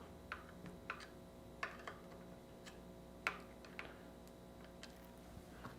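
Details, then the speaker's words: Norco fat bike disc brake after the caliper fixing bolts were loosened and the caliper re-centred: the wheel spins quietly with only a few light ticks and no rotor rub. "We'll give it a spin and we are noise free. So that's the first of the two easy fixes."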